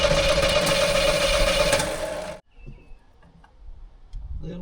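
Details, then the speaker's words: Classic vehicle that sat in a barn for years, 1984 Monte Carlo SS or 1990 Ford F-150: even cranking at about four beats a second without catching; wants to run, but fuel isn't coming up from the tank. "It definitely wants to run. I've just got to get fuel up here from the fuel tank."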